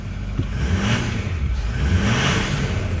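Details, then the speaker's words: 2008 Ford F-450 King Ranch, 6.4 diesel, 4WD, dually, 128,000 miles, cold start after four or five days at about 60°F: deep, even rumble swelling smoothly with throttle blips, no smoke, no engine lights; normal rev and idle. "see how that rev it sounds good sounds healthy there's no engine lights on so we'll pull it out give it the full walk around"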